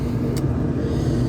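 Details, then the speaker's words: Washing machine: steady deep rumble from spinning drum; failed drum bearing on the shaft. "it's bearing this noise W it's bearing"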